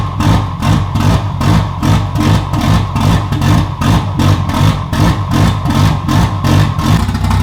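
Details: Swapped 2JZ engine in a BMW E36 on the stock ECU, which runs rich. The plugs were fouled and then cleaned, and a replacement part was installed. It still misfires when revved, with uneven stumbling pulses about 2.5 per second, breaking up instead of pulling clean.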